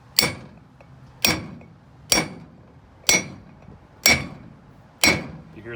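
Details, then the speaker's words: 1973 Ford F250 crew cab brake rotor restoration: outer bearing race hammered in with brass drift, six sharp blows ringing brighter and harder as it bottoms out; race fully seated, checked with fingernail. "difference that means it's seated if you're not satisfied you can reach your fingernail in there and check all the way around this one it is all the way down"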